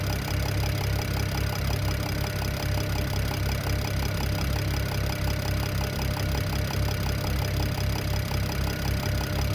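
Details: BMW E92 335i N54 at idle: quick, even ticking knock about three to four per second, owner thinks from the top end but unsure.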